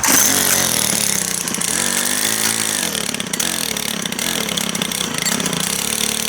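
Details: Brand new Stihl FS91R two-stroke string trimmer, primed and started; pitch sags and wavers as it fights to stay running, idle a little low so it won't sit there idling.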